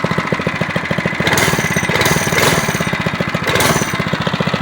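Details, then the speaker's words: SSR pit bike cold start on choke after carburetor cleaning and a new air filter: crisp single-cylinder putter that steadies between throttle blips and returns to an even, clean idle. "one pull there it is there she goes and cold start two PS baby running nice and clean"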